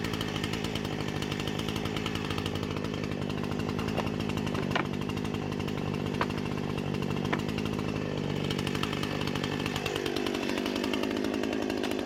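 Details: Husqvarna 455 Rancher chainsaw with about 4 hours total runtime, previously running rough after warm-up, now after ignition coil replacement: steady high buzz through the cut without stumbling, dropping cleanly off load near the end; running properly.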